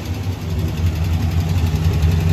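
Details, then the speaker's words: 1970 International Scout, warming up with coolant topped up: steady low idle with light rapid tick over it; owner hopes it is valve train tick fixable by valve adjustment, fears a lifter; unconfirmed. "ll right so you can hear it it's got a what i'm hoping is a valve train tick at some point"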